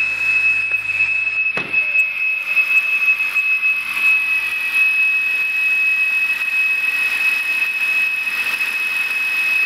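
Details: Whine on a 2006 BMW 330i petrol engine at cold start idle, coming from the rear of the engine in front of the transmission, not the tensioner or idler pulley. The car also idles rough. Loud, steady high-pitched whine holding the same pitch.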